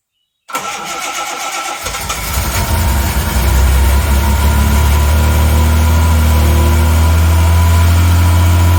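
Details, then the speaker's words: 1980 Reliant Scimitar GTE SE6A that turns over but won't start, with fuel syringed into the carburettor: it fires, runs rough, revs up and settles to an even idle. Starts only with fuel poured in; cause is a leaky fuel line under the middle of the car. Throttle cable was slightly stuck. "Right, let's give it a crank. that sounded promising. It fired and it ran briefly."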